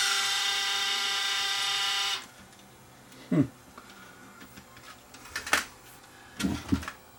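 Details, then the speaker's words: Sony DSR-11 DVCAM deck in fast forward: shrill steady screech for about two seconds, then stops leaving handling clicks; owner thinks it sounds like a motor bearing, possibly the capstan motor, unconfirmed. "I mean it sounds like a bearing on a motor that's what it sounds like"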